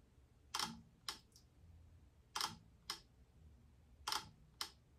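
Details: Hasselblad first-generation XCD 21mm lens leaf shutter at 1/30 s: crisp paired open-and-close clicks about half a second apart, repeated three times and consistent; the crunchy metallic sound is normal.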